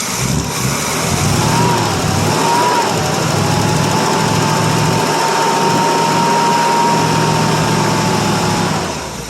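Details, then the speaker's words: 1967 Chevrolet C10 small-block V8, first start after 3–4 years sitting: steady idle settling in, smooth rumble with a light whistle; about 25 lb oil pressure, slow idle, homemade glasspack exhaust; engine sounds healthy. "oh still runs anyway don't sound bad got oil pressure and down there right hand side it's got about 25 lbs slow idle here"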